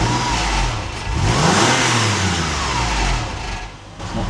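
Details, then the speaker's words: Porsche 996 flat-six being revved, tinny flappy rattle over the engine note, worse when cold and off throttle; not misfiring, suspected rattling exhaust heat shield or loose bracket. "Sounds like you've got a rattling heat shield or something. Maybe that's what I'm hearing."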